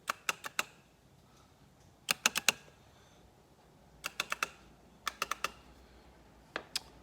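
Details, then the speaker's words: 2009 Kawasaki Teryx winch installation: sharp relay clicks in bursts of about four with no motor hum, since the winch itself is bad; the selector switch was also faulty, and a new winch is being installed. "whenever i go to run it you can hear the relay clicking"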